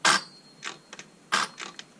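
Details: Ryobi 18V brushless chainsaw motor fails to run. Only a few dry clicks as the trigger is worked, with no motor whir, from an intermittent loose connection or a shifting module inside.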